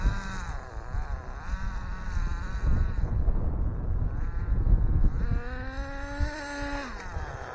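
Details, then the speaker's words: Rich-running two-stroke nitro engine in an ACME Condor 4WD RC buggy on its maiden run after a rebuild, low on fuel and not very hot: buzzy high-pitched note wavering and surging with throttle, burbly and uneven, still smoking and rich though improved after leaning slightly. "It's wingeding it off a little bit, but I won't go much more than that. Still smoke and rich. It's better"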